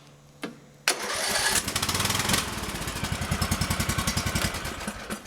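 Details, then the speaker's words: Cold start, not warmed beforehand, of a free LT 2006 lawn tractor with 17.5 Intek gas engine and Peerless 206 transmission, deck removed. Brief crank, catches immediately, then steady even thumping idle with no misfires or stumbling: normal cold start. "One's nice. That was just a cold start. I'm not joking. Like, I didn't warm it up before the video."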